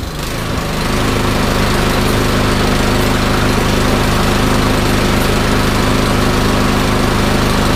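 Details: Troy-Bilt Storm 2410 snowblower, loosely reassembled, started with choke, throttle and prime: crisp, even single-cylinder beat at constant speed with no hunting or surging; runs great.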